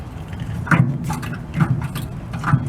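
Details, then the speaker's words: Rear hydraulic knee-action shock absorber (no springs) on a Chevy truck: soft, low fluid swishes about once a second as it strokes, with no knocking; this gurgling is normal fluid flowing through the valves. "There aren't any springs in here. This is strictly hydraulic action. And the thing is, the faster you try to move it, the more resistance is created inside the shock absorber."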